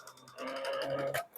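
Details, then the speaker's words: VHS/VCR rewinder after the jammed belt was freed by pressing rewind and tapping the unit: small motor whirs steadily with a light ticking spin, no dragging or stalling; now running correctly. "So இப்ப இது கரெக்டா ஓடிட்டு இருக்கு."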